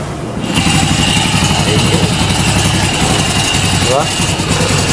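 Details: Carbureted motorcycle after the loose knotted wire connection was soldered, started without the ignition key: engine fires and settles into a steady even putter of about four beats a second, no stumbling; normal idle.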